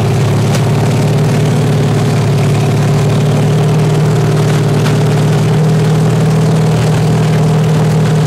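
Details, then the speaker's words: Freshly built 383 stroker with 1.6:1 roller rockers on a run stand, open headers, water-cooled, warmed to 210°F after running at 2000–2200 rpm: loud, uneven, lumpy idle with stumbles and spits; valves set too tight still sticking slightly open, all eight cylinders firing. "Just ain't idling good."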